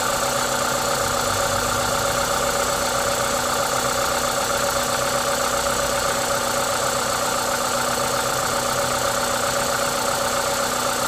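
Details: Toyota 2ZZ-GE engine at a normal idle, smooth and steady with an even hum; the constant hiss comes from an induction kit; no knocks or ticks, healthy.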